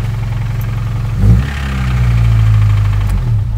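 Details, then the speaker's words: Small four-cylinder pickup engine revved hard: hard knocking over a rough running note that settles back, a bottom-end knock getting worse; owner believes the motor is finally done. "I finally did it I've been waiting for this motor to go for so long so that I could justify putting the four liter in it"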